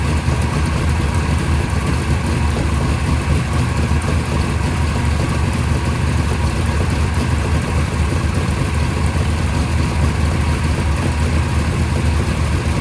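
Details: First startup of a freshly rebuilt 580 Mopar stroker on a run stand with headers and mufflers, timing at 33°, about 1,400 rpm fast idle, 65 psi oil pressure; deep, steady V8 rumble with no misfire or knock, a healthy fast idle.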